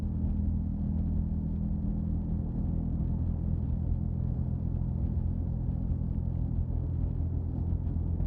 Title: Humming and Rattling Noise in '05 Subaru Outback